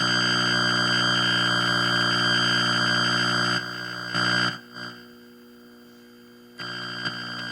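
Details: Atari Centipede cocktail cabinet after cleaning and refitting the harness: loud steady buzzing tone with stacked pitches that cuts out and returns; the noise turned out to be a shorted slam switch.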